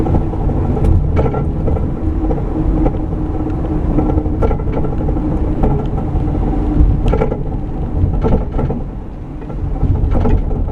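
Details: Microphone in the rear of a van with a broken track bar: irregular hollow clunks and rattles over steady road rumble, rear suspension clunk from the broken track bar.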